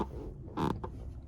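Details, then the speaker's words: 2022 Toyota Camry SE AWD, bought at about 7,000–8,000 miles, now just under 12,000: brief dry creak over road hum when shifting body right; seat bolster, possibly with armrest. "All I'm doing is shifting my body to the right, and it's the bolstering, maybe in addition to the armrest, but it's definitely the bolstering."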